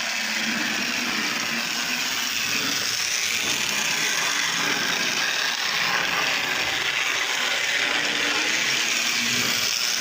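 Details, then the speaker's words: Lionel Tie-Jector toy train car after repair, mechanism working on brand-new track: light high-pitched whir with soft mechanical chatter holding steady, motor turning freely. Normal running. "There's the mechanism working."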